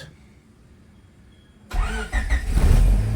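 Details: Freshly rebuilt Honda D16zc engine, first start after a 175 psi compression test; it cranks quickly and catches cleanly into a smooth, steady idle with no knocks, and the oil light goes off promptly.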